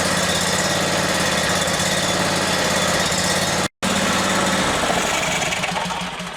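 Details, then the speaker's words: Briggs & Stratton Vanguard 37hp big block EFI engine, with fuel pressure gauge fitted (target 39 psi), previously surging: brief stumble as air clears the line, then steady even run with no surging. "That is perfect there. It doesn't even run like the same engine. You could hear the engine struggling to get a little bit of air out of the line. Once that air cleared out, it ran perfectly."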